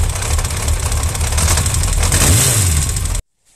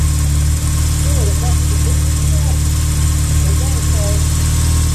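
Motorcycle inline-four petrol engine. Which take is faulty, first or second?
first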